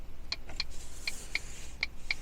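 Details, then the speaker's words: Test lamp tapped to pin three (black/orange tracer): crisp paired flasher ticks about eighty per minute, hazard tone and cluster indicator on but no exterior lights working at all. Hazard flasher ticking with no exterior lights, cause not confirmed. "So, I don't know if you'll hear that, but the tone and instrument cluster for the hazards has just came on. But unfortunately, we haven't got any exterior lighting at all."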